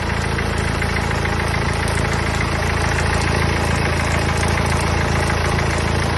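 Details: Mercedes OM651 diesel idling with a steady, fairly quick ticking clatter over the engine note; source of the noise unknown, owner asking what it is.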